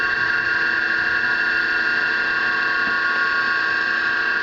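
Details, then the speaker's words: Homemade farm three-phase rotary converter started by switch, running unloaded (draws 3 A idling, about 230 V per phase, on a 40 A single-phase breaker): constant high electrical whine and hum, steady, no rattles or surging; operational. "And that's it. The converter is now running. It's operational."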